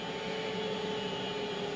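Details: Off-grid battery inverter charging at about 80 A from sun, wind and water around 20 degrees: steady airy fan rush with constant hum tones, sounding normal as the inverter slows when the sun goes behind a cloud.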